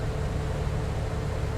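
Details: 2004 Chevy Cavalier HVAC in recirculation mode: steady low blower rumble with no tapping after replacing the air inlet actuator motor that caused knocking/ratcheting.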